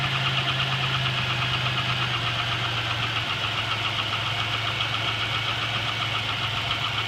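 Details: GM 3800 V6 with 237,000 miles, noise started the previous night: fast, uneven top-end ticking over a steady idle at three to four taps a second. A collapsed lifter is suspected but not confirmed.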